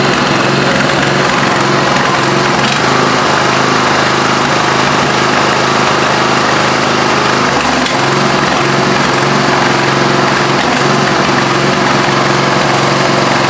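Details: Craftsman LT1000 lawn tractor, 17 HP OHV single cylinder, after adjusting loose valves: loud busy roar stumbling now and then, missing and backfiring through carb; valve adjustment helped slightly, cause not yet found.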